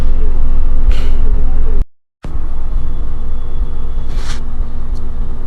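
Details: 2015 Mercedes-Benz GLK at idle with AC on: constant heavy whooshing roar that never eases; radiator cooling fan running high and loud, cause unknown.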